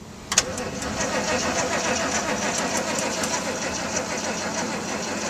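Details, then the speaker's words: Old machine known to have a weak battery, jump-started from another truck, pedal pumped and held down: starter churns steadily under a hiss but engine never catches; owner thinks battery is dead. "i hold it man it's got a once i didn't want to go that battery's dead ain't it"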